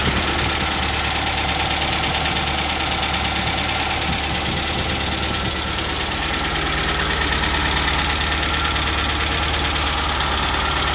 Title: MGB GT cold running - tapping noises